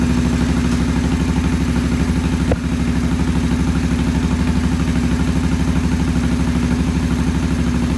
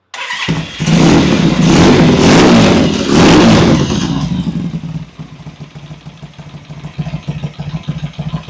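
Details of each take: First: Vintage British motorcycle with twin carburettors, poor idle: twin chugs at a low idle about three pulses a second, slightly uneven and hunting; clogged pilot jets starving the idle circuit. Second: Vintage British motorcycle after cleaning pilot jets, first start: fires quickly, revs strongly a couple of times, then settles to a steady even twin-cylinder idle thump; starts and idles cleanly.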